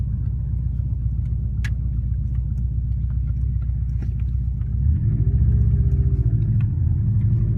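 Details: Warm 2004 Subaru WRX stage 2, 150 psi compression, 5-10% leakdown, burns no oil: light tick over boxer idle quickening with throttle blip; suspected piston slap, actually exhaust leak at cracked up-pipe flange.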